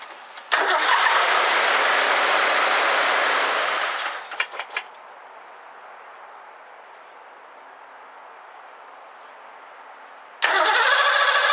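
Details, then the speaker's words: 1984 Ford Mustang GT350 carbureted barn find, recharged battery, choke closed, first start attempt: engine catches with a loud rough roar about three seconds, then dies; fires but won't keep running, bad old gas suspected. "I just tried to start it it fired for just a second and then it died"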